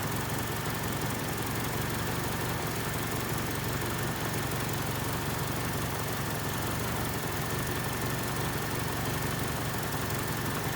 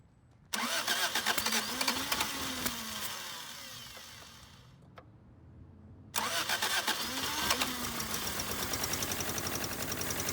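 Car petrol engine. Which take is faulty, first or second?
second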